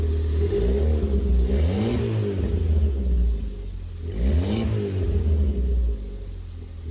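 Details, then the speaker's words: Ford Fiesta ST180 after an in-tank fuel pump replacement, running without the exhaust back box: two clean rev blips rise smoothly and return to a steady idle with no misfire or stumble. It revs normally. "Seems good to me."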